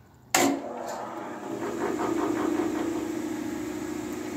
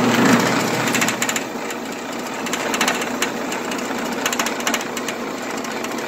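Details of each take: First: New Grizzly 14-inch band saw switched on and running without load: a quiet, even hum with no knocking or rattle, far quieter than an old Sears Craftsman 12-inch. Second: Old Sears Craftsman 12-inch band saw, probably untouched and untuned for a long time, running unloaded: a loud, uneven clatter and rattle several beats a second, far rougher than normal. The owner thinks tuning would quiet it; not confirmed.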